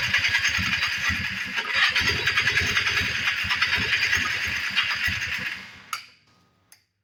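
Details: 1994 Polaris Trail Boss 250, cranking after a carb clean: steady cranking, about three compression beats a second, that never catches. It is flooding with heavy fuel, and the spark plug was found soaking wet.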